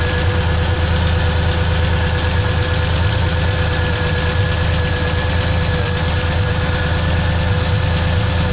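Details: Pontiac engine: heavy, low idle carrying an uneven tapping knock about three times a second; knock at idle, source unknown.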